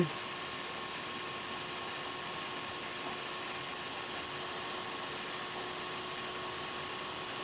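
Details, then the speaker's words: Ridgid R4092 10-inch wet tile saw, whose motor spun but blade wouldn't turn, test-run after reassembly with cleaned gearing; quiet smooth motor hum with steady whine, no grinding or clicking, motor running healthy. "looks like we got a Sila running all right we got the motor running the blade should be turning"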